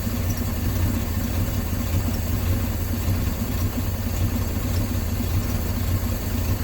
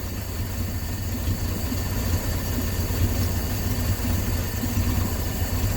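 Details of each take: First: 1968 Dodge C600 shop truck, not run in nearly a year, warming up with the manual throttle: uneven, loping idle with an irregular low pulse and faint hiss from a vacuum line left unattached on the back of the carburetor. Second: 1968 Dodge C600 shop truck, not run in nearly a year, carbureted V8 idling slowly and evenly around 420 rpm on the tachometer during mixture screw adjustment, steady beat with no stumbles; normal low idle.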